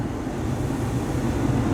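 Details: 2016 Ford E350 chassis, after blower motor replacement: only a soft, steady low whoosh with no squeal, rattle or wobble; the new blower fan spins smoothly and quietly, normal running.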